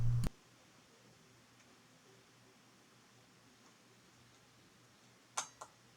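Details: Relay in a homemade light switch box switching 120VAC, driven from 12VDC circuit, after rewiring: one crisp click, about five seconds quiet with faint mains hum, then two quick clicks; relay switching cleanly.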